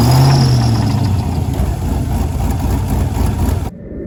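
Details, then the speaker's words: 2001 Camaro SS turbo LQ4 6.0 V8, next-morning start after fixing cylinder 7 spark issue: rough idle with heavy uneven knock about three or four hits a second; still knocking, internal damage suspected, unconfirmed. "all right guys as you saw on the last clip um the motor is still knocking even after fixing the spark issue on cylinder number seven"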